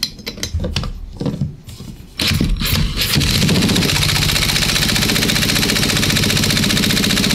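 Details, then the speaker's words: Poulan P3416/P3314 chainsaw under service, spun over by drill for compression test with fuel-oil squirt: quick steady soft buzzing strokes, gauge just under 90 psi; low compression. "okay we're a little light i'll show you on both cameras i know the glare can be brutal all right i'm getting 75 80 85 almost 90."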